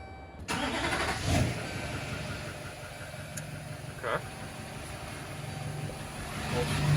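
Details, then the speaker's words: 2007 LBZ Duramax diesel after fuel filter change, oil and fluid change: short crank then steady even idle clatter, no leaks; normal diesel start and idle. "No leaks right here. Man, that sounds good. Sounds good."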